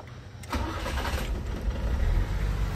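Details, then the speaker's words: ECCS Nissan Sentra after a crank-no-start repair now starts on one click, then settles into a low, uneven, wavering lumpy idle; stalls as it warms up because the MAP sensor is faulty and misreads, upsetting the mixture. "so One Click naman siya so far o mamamatay lang kasi since yung Mac sensor eh sira yun"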